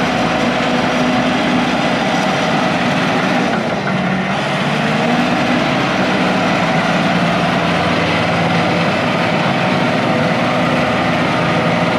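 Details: International IH 175C track loader diesel, sat a long time, freshly serviced with fluids and filters changed, first run backing out of the shop: deep, steady even rumble, brief speed dip under load, no knocking; normal healthy running.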